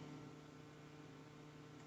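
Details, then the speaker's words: Newly installed Frigidaire 30-inch induction cooktop powering on, pots with a little water: quiet steady low hum with faint whir, no buzzing or clicking; normal induction cooktop sound. "we press the power button excellent it turned on it's making a little whirring noise now"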